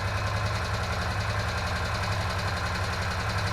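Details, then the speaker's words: Old Honda Foreman 500 ATV, refurbished, started with no choke or primer; uneven single-cylinder idle with a light tick and an odd pop, which the owner suspects is a flooded valve, not confirmed: engine ticking. "Got a little pop there. I had to bet, I bet that's a valve."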